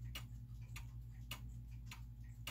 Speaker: so a clock in beat means that it's an even spacing between the tick and the talk right